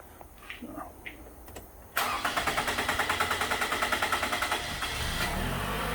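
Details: 2014 Toyota Camry four-cylinder with P0171 lean code and surging: long crank at about three even compression beats a second before catching; fuel pressure measured low at 23, about 40 expected.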